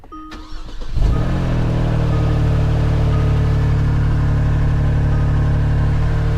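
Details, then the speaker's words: Kia Stinger at an auction yard. The starter cranks briefly, then the engine catches and settles into a loud, uneven, rasping idle that sounds wrong from underneath. Suspected exhaust leak under the car, unconfirmed. "Yeah, that didn't sound particularly good, did it? Yeah, no, it sounds like an exhaust leak from underneath the car."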